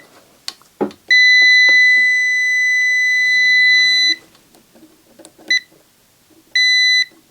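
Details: Yamaha DVD-E700 DVD receiver, continuity test around four-pin regulator/transistor: solid high beep about three seconds, then short beeps on each probe touch; meter shows dead short.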